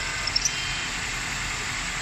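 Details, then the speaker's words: 2003-2007 Honda Accord 2.4L at idle: steady, high, hissy squeal from a worn, slack serpentine belt; it goes away when water is poured on and returns after; belt to be replaced. "That tells me it's clearly a drive belt issue, which I'm going to be changing in this video. You can see it's back again."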